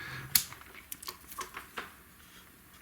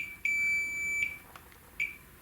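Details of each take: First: 25-inch K7000 arcade monitor, dead after arcing flyback: after a few probe clicks the meter gives a steady high continuous beep across the horizontal output transistor, showing it is shorted. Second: Multimeter continuity check on a dead 25" K7000 arcade monitor chassis with arcing flyback damage: a few short high-pitched beeps as both probes touch the same trace; nearby vertical deflection components judged undamaged.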